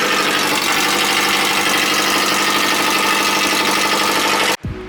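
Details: JDM Subaru EJ20 SOHC boxer, freshly rebuilt with a CX Racing dual ball bearing turbo, first start after priming oil, no air filter: busy steady idle with hiss and mechanical chatter, even until cut off; normal idle, slight smoke afterward.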